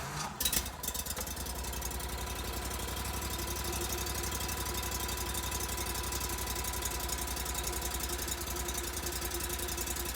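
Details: GatorTail 35GTR mud motor, hot, with Backwater Performance Systems exhaust: after a rough start settles into a fast, even chug at idle with steady exhaust pulses and no knock.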